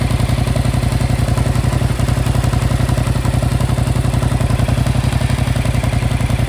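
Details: 2025 Yamaha MT-07 at 9500 km, idling: a steady, dry ticking clatter of about four beats per second rides on the low thrum. The source is unclear.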